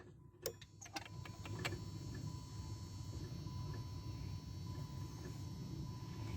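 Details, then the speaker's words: 2009 Dodge Caliber manual that would not start: a few sharp relay clicks with the key turned but no cranking; starter motor under the manifold assumed failed. "I do hear the relay clicking so what we're going to do is we can only assume that our starter is is toast"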